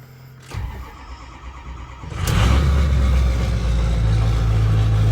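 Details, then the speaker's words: 6.0 diesel truck, not yet drivable, started in the morning. Short crank, then it catches and settles into a steady, deep idle; owner says it sometimes won't start or stay running, cause not yet identified. "sometimes it starts sometimes it doesn't and sometimes it stays running and sometimes it doesn't"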